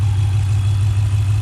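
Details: 2018 Dodge Durango 5.7L V8 after swapping on a 6.4L Scat Pack intake manifold, first startup after the swap; strong smooth low hum with steady beat, no misses or tapping; normal idle.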